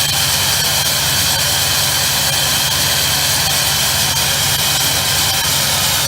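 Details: 1999 Ford F-350 7.3 Powerstroke diesel with a new MBRP 5-inch turbo-back exhaust, at high idle after a cold start around 25 degrees: a loud, steady high-pitched scream holding even throughout. Normal turbo whistle.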